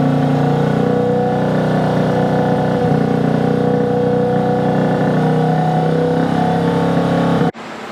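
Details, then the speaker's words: 1965 Honda C100 Cub 50cc single, neglected for decades, first start on starter rollers with carb starting fluid, no choke, air screw out one and a half turns: buzzing fast but unevenly, revs wandering and stumbling; rough running, cause not confirmed. "come on Stay Ready stay running it's not running good but it's running"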